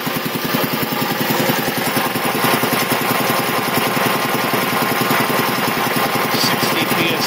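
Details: 1975 Quincy QR 325 compressor converted from 3-phase to a GE 5HP single-phase motor, smaller pulley, pump at 621 rpm; brisk, steady chuffing with no knock or rattle while building pressure. Runs nice and quiet, normal.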